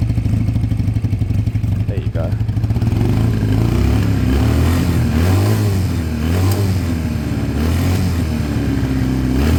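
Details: After fixing two split pipes, no choke, idle being set while listening for hissing: idle sags and picks up every few seconds, still slightly hunting and staying high; owner suspects an air leak.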